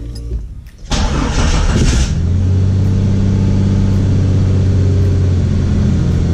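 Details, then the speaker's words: Jeep XJ petrol engine after flex plate replacement with the transmission removed, the header redone and the fuel line drained: catches after a brief crank, flares, settles into a steady, even idle; 14.3 volts, good oil pressure. "she started that's the scariest part was getting it started yeah she hesitated for a minute because we pretty much had to we did the header we drained the fuel line so she took a minute to get fuel to her but she got fueled and all there's working good"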